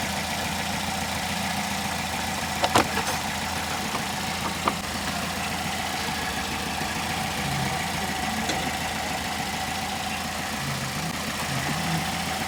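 Smooth, even idle with a steady hum and no tapping from the top end; the valve clearances sound right.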